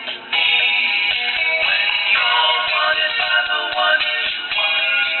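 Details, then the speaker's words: 1956 Symphonic one-tube record player with new low-output 0.5V ceramic cartridge, preamp added and 6SQ7 replaced: music plays thin, harsh and overly shrill with little bass; fix is a tone-compensation capacitor across the output transformer primary. "as you can hear that's a little bit too thrill sounding so what do we do about that"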